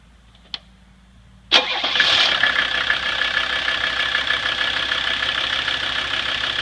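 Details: 1985 Mercedes 300D diesel after new fuel lines, pre-filter and spin-on filter, running Diesel Purge from a jar: quick crank catches at once, settles into a steady even diesel clatter with no stumbling; healthy start and idle.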